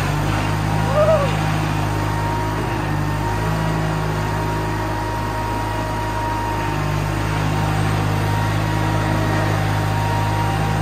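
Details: Case 1816C skid steer that sat in a barn 10+ years, driving under load after clutch lever engaged: steady even-pitched engine drone, no knocks or grinding; normal running.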